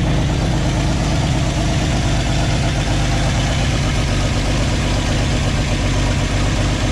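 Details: 1986 GMC S15 Sonoma at idle, not yet hot: steady idle with a rough, puffing rasp chuffing along with the firing. Massive exhaust leaks; owner says he knows exactly where they are.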